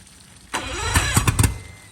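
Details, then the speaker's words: Marketplace boat engine, compression about 100-110 on all cylinders, after spraying starter fluid: brief cranking burst with a few sputtering pops dying within a second, never catches; cranks but won't start, owner suspects a fuel issue. "Okay. So, we're having some type of fuel issue. Some type of fueling issue."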